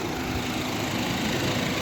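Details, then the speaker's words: Mazda CX-5 rear differential howl while driving: steady drone with a faint tonal howl over road noise, attributed to cracked spider gears, which balance left and right wheel speeds in turns. "เฟืองท้ายเพราะเฟืองท้ายมันจะมีอ่าเฟืองดอกจอกดอกจอกก็จะทำงานอ่าทำงานบาลานซ์ล้อซ้ายขวาก็จะทำงานตอนรถเลี้ยวที่ว่าซ้ายขวาหมุนไม่เท่ากันนะดอกเจาะมันแตกได้ครับ"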